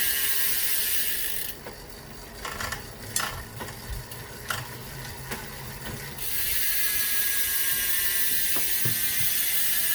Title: Rear wheel clicking sound